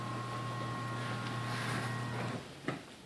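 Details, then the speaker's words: Chamberlain Whisper Drive garage door opener: smooth, even low hum while running, then one soft clunk as it stops; the earlier squeal is gone and it runs normally. "this machine does not make the squealing noise anymore so so you don't hear anymore squealing noises which is great"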